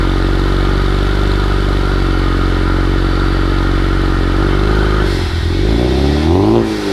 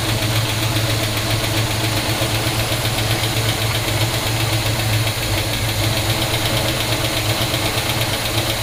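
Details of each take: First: 1971 Pontiac GTO cold start, first run in 5+ years on fuel from a new gas tank, with new exhaust. Loud, steady low idle with slight clatter, then engine speed dips and wavers, puffing smoke the owner assumes is moisture. Odd running sound on cold start, cause unclear. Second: 1971 Pontiac GTO first start in 5+ years, new gas tank: steady, even V8 idle with a firm low rumble, no knocks or ticks; 60–70 psi oil pressure while running, headers burning off dust. Normal idle.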